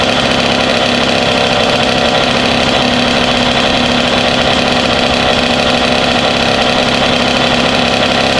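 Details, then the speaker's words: Rebuilt Kawasaki KX 85 two-stroke on first start, 140 main jet, 32:1 premix; crisp, even buzzy idle with no rattle or knock underneath; normal idle. "Sounds good. Yeah, and we were running that gas in Mike's recordings KX last week, so 32.1, nothing froze up."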